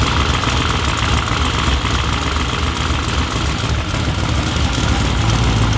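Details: Corvette C7 V8 on its first start after a twin-turbo install, with residue burning off and coolant air bubbles being worked out. A steady, even, deep low rumble with no knocks or misses; a healthy idle.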